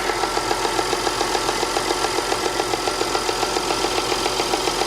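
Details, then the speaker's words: 2010 Audi Q5 Premium Plus, direct-injection engine, with check engine light and low oil pressure warning, idling: steady even idle with light regular injector clatter about 3.5 per second, no top-end tick; normal idle. "It sounds fine. It sounds fine. I don't even hear a top engine tick, nothing. It sounds absolutely fine."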